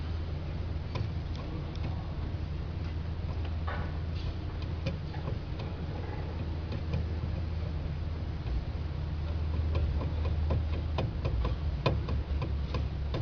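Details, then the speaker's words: Steering with irregular light clunks and clicks over a low drone; steering bearing visibly loose with excessive play causing the noise; replacing the steering bearing should make the steering normal again. "terdengar suara kocak pada steering. Laker terlihat kocak. Play laker terlalu banyak sehingga steering bunyi."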